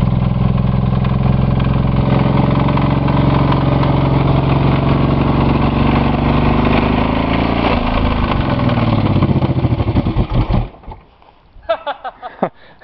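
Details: Buick 3.8 (3800) V6 running with one connecting rod removed, a hole in the block and little oil after a crash-derby blowup; loud lumpy roar with heavy uneven clatter, then dies suddenly after about a minute, smoke and oil blown out.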